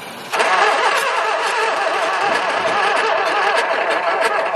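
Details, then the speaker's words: 1969 Mk1 Ford Capri barn find, not run for many years: the starter spins the engine quick and light for several seconds with no catch. It has spark and fuel, so low compression is suspected as the no-start cause. "giv me low compression as it has got spark we got fuel think we've got air"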